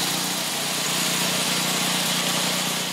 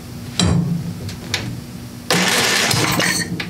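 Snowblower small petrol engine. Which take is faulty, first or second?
second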